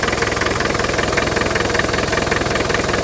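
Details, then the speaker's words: Land Rover 110 turbo diesel County station wagon, 2.5 TD, about 166,000 miles when sold, just started: steady even diesel clatter at idle, about 160 firing pulses a minute, no knock or miss; starts nicely, compression good, though breather puffing and oily top end. "but the fact that it starts nicely means that the um uh the compressions are good in it and stuff like that"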